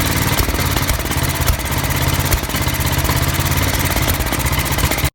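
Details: Old Norton 500T single-cylinder motorcycle: uneven thumping with skipped beats and sharp cracking backfire pops, a carburettor misfire causing backfires.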